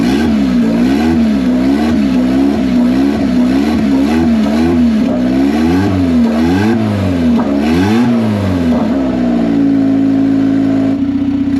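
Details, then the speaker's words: $500 Honda Civic (manual swap, Hondata) after a T04E turbo install, first start with an open upward downpipe: repeated quick blips rise and fall cleanly, then settle to an even idle; the engine revs freely and runs well. "so as you guys seen this thing fired right up I could couldn't be happier it sounds pretty cool and ran pretty decent"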